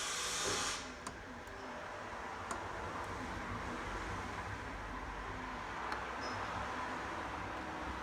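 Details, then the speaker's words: Beko washing machine after a PCB repair by resoldering, on a spin and drain program with no water in it: a steady whir with a light hiss from the drain pump running dry, with no knocking; normal. "That's the pump working. There's no water in it. This is just a quick test. It's just on a drain at the moment."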